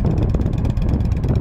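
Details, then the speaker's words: Used 2007 Yamaha V Star 1300 V-twin, 24,989 miles, just after start: steady even low thumping idle, no rattles, ticks, knocks or smoke; healthy idle. "Fires right up. Don't hear any kind of rattling or engine noise, no smoke."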